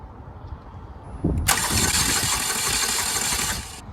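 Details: Chevy Cobalt bought with a crank-no-start; accessory belt spins, spark present: the starter turns the engine at an even three-odd turns a second for about two seconds and it never fires. Cause not yet found.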